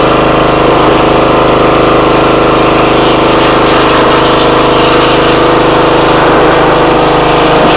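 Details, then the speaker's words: Free used pressure washer that reportedly only runs on choke, started at full throttle on choke after bleeding air from the pump: loud steady drone holding even speed, no surging or hunting; motor and pump seem fine. "foreign pressure washer Works motor seems fine pump seems fine"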